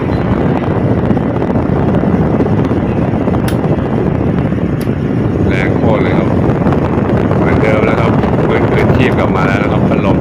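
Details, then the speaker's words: Electric fan revived after being submerged in flood water, with rusted, sticking shaft cleaned and reassembled: steady, strong rush of air over an even motor hum with no ticking or scraping; running normally on top speed, switch 3. "เท่านี้ก็เสร็จเรียบร้อยแล้วนะครับเดี๋เรามาลองกันเลยพัดลมสวิตช์เบอร์1เบอร์2เบอร์2เบอร์3"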